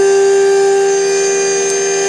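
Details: CNC facing pass on a billet heatsink motor bracket for a 3D printer, using a better-behaved end mill after heavy chatter with another bit at 1 mm depth: a clean, steady high tone with no chatter or warble, so the cut is smooth.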